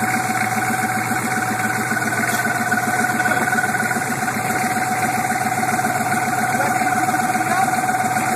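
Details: 1987 Suburban 6.2 turbo diesel, cold startup: steady ticking knock about 220 per minute over the diesel clatter, present about a year, formerly quiet, now louder, usually fades once warmed up; cause unknown.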